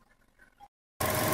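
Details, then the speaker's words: Chevrolet (Aveo/Cruze/Sonic/Trax) engine after replacing the VVT gear sleeves for code P0011: after a short silence a steady, even warm idle with no ticking or rattle and no codes present; normal. "amigos pues el motor se escucha muy bien no tenemos ahorita códigos y como les digo esperemos que siga así"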